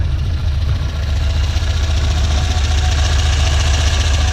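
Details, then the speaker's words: 1967 Volvo 1800S started for a walkaround, expected to idle around 1,100 rpm: steady, even low idle with no knocks, misses or ticks; healthy, smooth-running idle. "I'm gonna fire it up as well so you guys can hear it should idle ride around 1,100 rpms"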